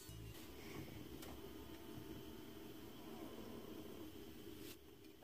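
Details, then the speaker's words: 2003 Dodge Ram with defrost stuck, cycling only vent and floor; blower fan off, dial turned to defrost: a faint, steady actuator motor whine that stops when the mode doors finish moving, after which defrost worked. "listen for the motors to work you can hear them you'll hear a whining noise once that winding noise stops"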